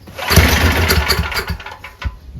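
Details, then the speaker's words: Powerback 5000 W gas generator with a Tecumseh engine, after a new Hipa carburetor kit (filter, spark plug, gaskets) and adding oil. It starts on choke with no spray, catching at once with a few quick firing bursts: normal start. "Choke it again. runs great."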